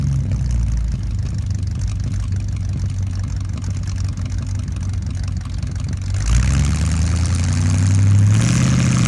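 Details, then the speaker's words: 1975 Ford F-100 V8, abandoned 17 years, first start after revival work; even, steady idle climbs cleanly on two throttle blips and drops back smoothly; normal idle. "let just start down turns turns over that's promising that sounds so good"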